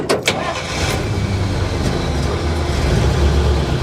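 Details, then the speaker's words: 1953 Pontiac Chieftain started cold after sitting over a week, choke stuck open; brief crank, catches straight away and settles into a smooth, steady idle with no stumbling; healthy cold start. "She fired right up, man. Are you kidding me? What a good old car."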